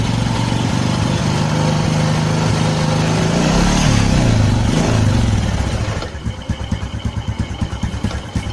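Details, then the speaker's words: Honda Karisma carbureted motorcycle, new spark plugs, hesitating and not idling; exhaust smells of unburned petrol, lumpy uneven firing around three pulses a second that hunts: rich-running rough idle. "The language smells terrible, so it's like petrol doesn't burn at all, friends, and listen to this for yourself,"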